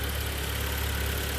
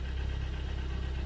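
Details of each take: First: 2012 Hyundai ix35 G4KD engine, 124,000 km, after rebuild (block bored to 0.5 oversize, honed, new pistons, oil jets, polished crank journals), first start: steady, even low idle hum, no knocking or tapping; sound cuts out midway. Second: 2012 Hyundai ix35 G4KD engine, 124,000 km, heard from the cabin at idle: steady rapid knocking in time with the crank, piston knock; later repaired with bore to 0.5 oversize pistons, new exhaust camshaft and oil pump.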